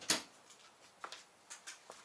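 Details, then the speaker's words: Samsung PN50B540 50-inch plasma TV with a horizontal-lines fault, at first plug-in: one sharp click then faint ticks as the supply relay pulls in, meaning the power supply works. "Okay, I hear the click. That means the power supply is working. That's great."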